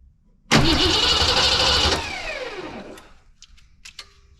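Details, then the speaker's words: Foxbody Mustang project car on its first start after a fuel pump wiring issue was sorted: engine catches with a sharp pop backfire, runs roughly about a second and a half, then dies; owner thinks it is very low on fuel. "Bad connection? Maybe. It's got fuel. Whew. Little backfire."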